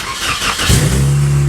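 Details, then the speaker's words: 2003 Toyota Corolla, first start with the exhaust broken off ahead of the non-working catalytic converter: brief crank, then a loud, deep blatting roar at idle with the check engine light on. "listen to that Roar obviously check engine light because of the exhaust and because it cuts out right before the cat so there's no Cadillac converter essentially even though there is one it just doesn't work"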